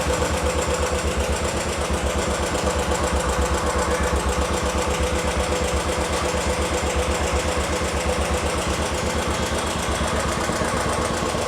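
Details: 2018 Royal Enfield Classic 500 Stealth Black, 2.5 years old, single cylinder at idle: quick even ticking about four per second over the thump, suspected hydraulic tappet noise; ticking at idle.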